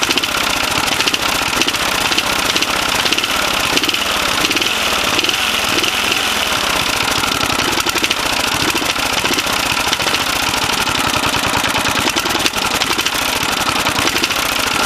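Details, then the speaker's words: 1980 Briggs & Stratton 8 HP single-cylinder on a Snapper: hard, rapid, steady metallic knocking, worst when accelerating and sometimes at idle; suspected rod knock, owner concludes piston slap. "You hear it knock when I give it the gas? Someone's hitting the block with a fucking hammer."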